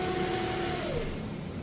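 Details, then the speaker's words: Car running off a booster, with almost 11 V measured at the alternator: the engine hum holds, then sags and dies within a second when the booster is disconnected; failed alternator that needs replacing. "That's it. It died. So, it needs an alternator."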